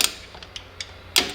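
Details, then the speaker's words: 2005 Toyota Tacoma 4WD rear drum brake job, new shoes fitted: star wheel self-adjuster turned gives sharp, uneven dry clicks a notch at a time, ratcheting only one way to expand shoes toward the drum; normal adjuster ratcheting. "I can keep turning this wheel. You hear it, it goes only one way, that's the expansion. I will be not able to turn it the other way."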